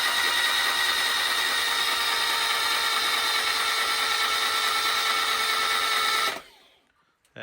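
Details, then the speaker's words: Hillman Imp 1200cc five-bearing sand-cast engine with experimental Coventry Climax-based FWH head, rebuilt after a dropped valve, cranked on starter without plugs or fuel to build oil pressure: steady high whirring spin, no knocks, relief valve blowing off at 50 psi; healthy cranking. "go so it's managing to blow off the relief valve at 50 psi which is just where I want it to be for a good a good speed of cranking"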